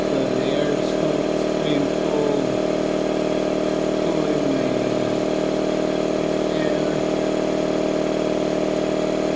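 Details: Harbor Freight 2 hp 29-gallon air compressor with an added air filter and a cooler/air dryer drawing air over the pump. Even, steady buzzing drone with a fast regular pulse and no rattles: quiet, normal running.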